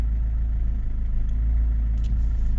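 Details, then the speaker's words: Chrysler PT Cruiser CRD diesel idling after power steering bleeding; steady low idle with even chatter and no whine, and no repeat of the clacking heard on last week's cold start. "c'est plurgé mais en tout cas il y a pas eu le c c c c comme il y avait à l'époque quand j'ai démaré à froid à l'époque semaine dernière quoi"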